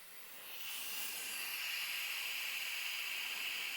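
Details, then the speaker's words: Inflating a Cub Cadet lawn tractor tube tire rated 14 PSI, compressor turned up: continuous sharp hiss swelling and holding steady; air escaping from worn, cracked tire inflator and hose fittings. "my air system is not in the best shape anymore both the tire inflator itself and the two fittings meeting together the hose and the tire inflator are worn out cracked not working the best"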